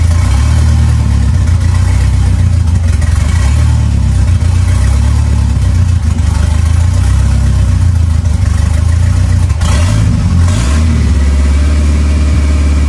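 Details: Ford 2.3L turbo Lima swap on a PIMPX batch-fire engine computer, warming up while base timing is verified and set: loud, steady low rumble with a few throttle blips, even firing and no ticking or knocking; normal warm-up running.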